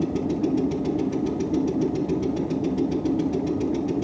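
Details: 1958 Windermere launch's Stuart Turner P5M 2-stroke single-cylinder inboard, first start with idle speed cam set for extra fuel: rapid, even pulsing about six beats a second over low rumble as it begins firing; not yet running steadily.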